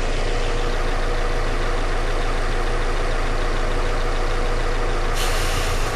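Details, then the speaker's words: Subaru engine idling while a vacuum hose is pulled to test wideband air/fuel sensor response; a sudden sharp hiss as air rushes in through the open hose, idle nearly stalls, and the sensor voltage and equivalence ratio rise as expected. "all right maybe you can hear the vacuum leak oh almost killed the engine there but unquestionably it did increase so that test worked pretty good"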